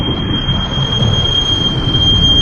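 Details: Car brakes when the pedal is pressed: a steady high-pitched squeal over low rumble throughout the stop. Suspected causes are dust or debris between the pads and disc, or worn pads; the cause is not confirmed.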